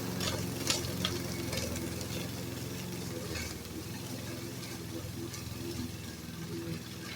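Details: Repaired roadside-found Troy-Bilt variable speed push mower while mowing grass: low even engine drone under swish of cut grass, no misses or surging; normal running.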